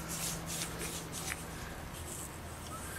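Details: Old clutch throwout (release) bearing removed from a car and spun by hand gives gritty, scratchy rasping in uneven bursts; rough and worn, should be replaced with the clutch.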